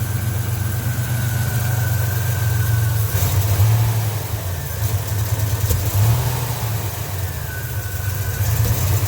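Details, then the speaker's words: 1987 Buick Grand National after fuel injector, regulator and ECM chip replacement, fuel pressure about 33 psi (40 with vacuum line off); low uneven idle sags as throttle opens, popping through intake, almost stalling; off-idle hesitation, worse with more throttle. "Hesitating off idle, popping through the intake. It's almost stalling."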